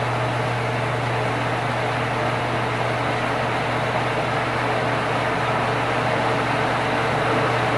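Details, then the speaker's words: Old Sears Kenmore stackable washer-dryer after repair of a loud noise: steady low hum with an even watery rush and no rattles or grinding as water is slowly pumped out; normal drain pump-out. "check out the water we're his parents fair slowly pumps it out"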